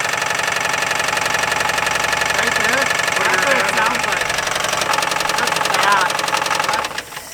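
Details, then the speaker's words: 1959 Buick 364 Nailhead V8, first start since being parked in the early 70s; heavy regular knock about four per second over quiet idle, rising with throttle, oil gauge halfway; suspected rod knock, unconfirmed. "well she's uh the exhaust is quiet anyway yeah it allows you to hear the horrifying rod much better is that rod knock it's gotta be"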